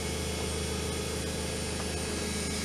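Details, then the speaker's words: 24 V DC treadmill motor with speed control circuit, at its top setting (display reads 8.8): steady, even hum with a smooth low drone, no knocks or rubbing; normal high-speed running. "that's 8.8 M hour so that's its uh high speed"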